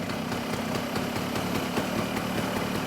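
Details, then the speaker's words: Genuine Stella two-stroke scooter after carburetor rebuild, warmed about a minute and a half, mixture screw being adjusted: fast, thin idle with slightly ragged popping; idle mixture set too lean. "a little bit too lean I could just hear how it sounds"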